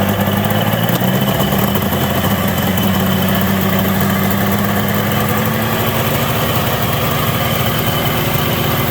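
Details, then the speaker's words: ZRT 600 two-stroke triple snowmobile idling high around 3000 rpm; brake cleaner sprayed at crank seal, rpm slowly drops: fast steady droning idle, confirming crankshaft seal air leak. "just sprayed this down in there the rpm just slowly started to drop on its own so that seal there is fubared"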